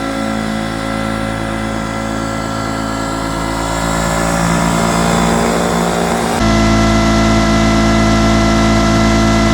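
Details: Two-stroke 8V71 Detroit Diesel V8 from an old tour bus, fuel racks tied at full fuel, in deliberate runaway at high rpm holding a hard steady scream with water sprayed into the blower; it didn't stop, and after the water was shut off it overheated and locked up.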